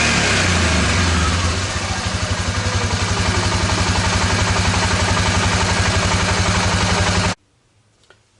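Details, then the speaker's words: 2002 Suzuki Vinson 500 ATV after fix, new fuel shutoff valve replacing bad diaphragm and cleaned plugged carburetor idle circuit: steady, even putter about four beats per second, no hunting or stumbling, then switched off; healthy idle. "runs much better now that's uh how the problem was bad diaphragm and the fuel shut off valve and the carburetor did have the idle circuit plugged up"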